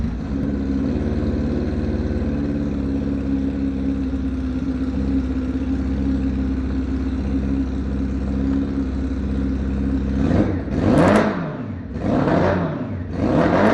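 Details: Crashed, wrecked 2006 Honda CBF 600 S on a systems check, battery reading 12.5 V with multimeter before start: engine catches and idles with an even low rumble for ten seconds, then three quick throttle blips rise and fall cleanly; engine running.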